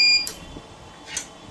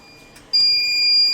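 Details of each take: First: Smarten Saver 2000 inverter after repair, board refitted and connected to 24 V: one short high electronic beep, then near silence; output comes up correctly. Normal startup. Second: Smarten Saver 2000 inverter giving a beep and dropping output when mains 220 V is applied: steady high-pitched continuous beep starting abruptly; relay coil stays at about 9 V because the relay driver transistor is shorted or its base gets supply.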